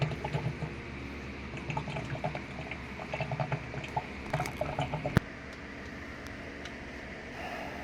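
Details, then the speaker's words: Sharp automatic washing machine after drain mechanism repair, spin-dry with water at level 6 of 8: strong gurgling rush of water in steady surges, then quiet as the tub empties; drain now fast where it was slow before. "So kanina napakahina ng tubig pa yung loob Ayan so Ang lakas na ng drain niya ngayon so hindi ganyan kalakas yung kanina"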